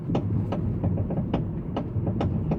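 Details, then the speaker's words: 2014 Honda Civic 9th generation, about 20 days after purchase, driving: sharp hollow clunks from the right front suspension, a few per second over bumps; loose front suspension fasteners. "Então, pode ver que o barulho é muito alto, né?"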